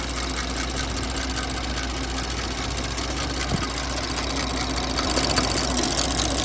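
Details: 2024 Porsche Macan S after spark plug replacement: fast light ticking about two to three a second over steady idle with quiet hum; cause unclear.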